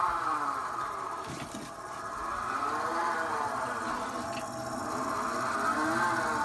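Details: Pre-2009 Thelin Gnome pellet stove: a steady whirring whine that drifts up and down in pitch, likely from the feed motor area, when running on low or medium; the stove does not work on high.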